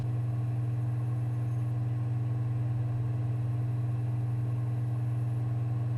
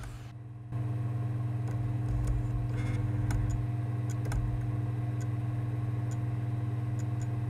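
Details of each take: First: Sony PSX DVR DESR-7000 with Matrix Infinity v1.93 modchip booting Half-Life disc: after a pause, steady even low hum of disc spinning, no clicking or seek chatter; optical drive reading normally and booting quickly. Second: Sony PSX DESR-7000 with freshly installed Matrix Infinity v1.93 modchip, loading a PAL PS2 disc: steady motor hum with scattered irregular ticks as the lens keeps seeking, disc never spins up or detected; optical drive laser failing to read.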